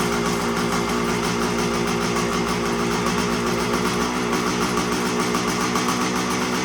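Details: 1975 Suzuki TS125 two-stroke, stored for a while; previously broke up past half throttle. After turning in the air screw, warmed up: steady crackly idle, even beat, no hunting or misfire; running pretty good.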